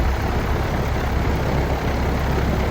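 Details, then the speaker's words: Old outdoor AC condenser fan running with a steady, even low hum and no wobble or vibration after the fix; compressor wire disconnected for testing, previously vibrated heavily. "No vibration. And that's what you want. You don't want any kind of vibration on your unit."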